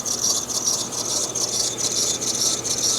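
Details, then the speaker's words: 2011 Mercedes-Benz C-Class (probably C300) at idle: very loud, shrill belt-drive squeal pulsing about twice a second; idler pulley suspected but not confirmed. "we need a definite idler pulley. That's really squeaky. That's crazy squeaky. I haven't heard one that bad in a long time."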